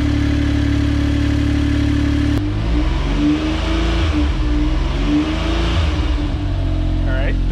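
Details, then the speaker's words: Suzuki F6A DOHC engine (AZ-1/Cara) just after new AC and alternator belts were fitted, running on the lift with AC compressor on: steady idle, then a few smooth revs, no belt squeal or chirp. "okay no no belt squeals in here to turn on the ac so the ac compressor is on it seems to be running"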